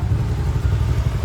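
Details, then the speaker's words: Auto rickshaw after starter motor repair/replacement, starting cleanly instead of hesitating: low, even thrum of a small single, no misses, knocks or starter grind; normal idle, sound expected to settle further in a couple of days. "So ಹೊಸ ಹೊಸದಲ್ವಾ ಸ್ವಲ್ಪ ಒಂದಎರಡು ಎರಡು ದಿನ ಹೋದ್ರೆ ಸ್ವಲ್ಪ ಇನ್ನು ಸ್ವಲ್ಪ sound ಎಲ್ಲ change ಆಗುತ್ತೆ ಇವಾಗಲೂ ಚೆನ್ನಾಗಿ ಸೌಂಡ್ ಬರ್ತಿದೆ"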